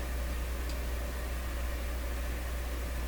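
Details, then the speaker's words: Sparton 1567 tube radio, receiver, amplifier and speaker, on reduced power of about 65 V through a dim-bulb tester with the volume down; a faint, warm, steady hum under quiet hiss and no program audio. "So I can certainly hear a hum. Let me just take my headphones off here. And so there's a quiet hum in here. What you would call a warm hum. It's not very disturbing or anything like that."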